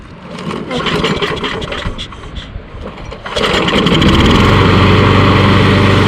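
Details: Mower built from two broken mowers by engine swap with quick carburetor clean, started with no air filter fitted: a few seconds of cranking and fumbling while priming, then it catches and settles into a steady, even putt with no misses; runs fine.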